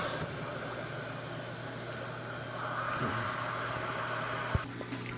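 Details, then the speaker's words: GE front-load washer (model WBVH5200J3WW) after replacing the bad water inlet valve solenoid (part WH13X10029): steady, even hiss of water filling on the cold valve, no chatter or buzzing; inlet valve working normally. "okay you can hear the water running here so know that the cold is working and doing its job"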